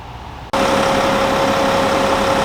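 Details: VW/Audi/Porsche 3.0 TDI diesel after DPF and EGR delete with silencer installed and vacuum-checked: catches and settles straight into a steady idle, smooth even hum, no ticks or hiss; later 50-60 miles leak and fault free.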